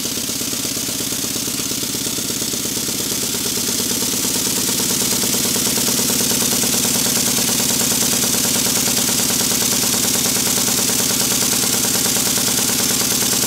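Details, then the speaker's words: Restored Stuart model steam beam engine after fitting a silicone O-ring to the piston, reassembling the Watts parallel motion and adjusting valve timing: even, quick chuffing beat with light mechanical whir, no knocks; runs fairly quietly, normal running. "i think you'll hear that it's running fairly quietly"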